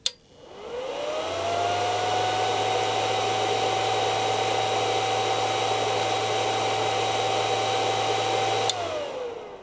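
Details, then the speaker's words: PLZ-HF-PA100W HF amplifier on transmit, stock fan before modification: fan spins up to full speed with a steady, loud rushing whine and constant tone; loud cooling fan at full speed. "Whenever the amplifier goes into transmit, the fan starts spinning at full speed, and well, this is what it sounds"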